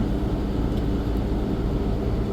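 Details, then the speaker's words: Freightliner M2 bus diesel at idle: loud steady roaring rush over low idle, no cycling; engine cooling fan stuck always on since the fan clutch was replaced last summer, drowning out phone calls at 2,000+ rpm. "I cannot hear whoever is trying to talk to me on the phone over the fan so I'm really hoping that gets fixed in the future"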